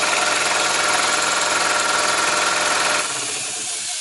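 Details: 8000 W inverter powering garage through a 100 ft 12-gauge extension cord starts an 8 hp 30-gallon air compressor. Motor spins up straight away to a steady buzzing run with constant hiss, no stalling or labouring; normal compressor start.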